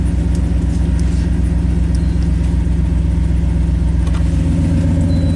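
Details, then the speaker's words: Chevy Silverado 3500 dually dump truck, 6.0L Vortec gas V8, about 20 years old, 40k miles, following misfire diagnosis: deep, steady, even idle rumble with no stumbles or shakes; normal idle. "it's run better already no more shaky shaky"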